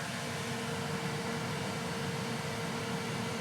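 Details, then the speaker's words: Elegoo Centauri Carbon 3D printer, new, during initial setup calibration, door open: cooling fan at full speed, pretty loud, running really fast; constant rushing air with steady mid hum, no ticking or rubbing; healthy. "Also, you can hear that when the fan's on full with the door open. I'll shut the door and let you listen to the sound. But that's pretty darn loud. But it's running really fast."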